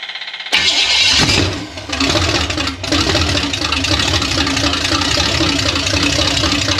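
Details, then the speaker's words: $300 Small Block Chevy 350 V8 on a DIY engine run stand: it cranks, catches and revs, then settles into a loud, steady lumpy idle with no knocks or misses. It sounds cammed, and the owner suspects no thermostat. "uh fans work good radiator keeps it cool motor sounds good motor sounds like it's got a cam in it which is good"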